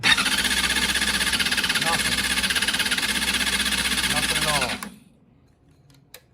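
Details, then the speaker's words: 2005 Honda CBR 600RR, sat 5-6 years, new fuel pump, ran once, then after battery and oil change: pump primes, starter whirs about five seconds with no firing; runs only on starting fluid, cause unknown. "And now the problem we're running into, other than this key, is turn it on, everything's lit up. Hear the pump prime. Go to start it. Nothing"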